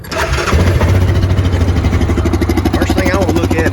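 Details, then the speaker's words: Used Yamaha Viking side-by-side, started cold to check for smoke: catches quickly and settles into a steady, even idle pulse with no misses or knocks, and no smoke seen. Normal cold start. "sure it ain't smoking ain't smoking you know if i can get there when the machine's cold that's what i like to do"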